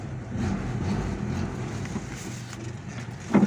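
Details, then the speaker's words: Toyota Kijang road test after replacing the propeller-shaft cross joint (U-joint), which had clunked when releasing the clutch forward or reverse: pulls away with only even road and drivetrain hum, no clunk; driveshaft now smooth and quiet. "Ini sudah enak, ini sudah tidak bunyi. Sudah enak ini teman-teman semua. Sudah tidak bunyi."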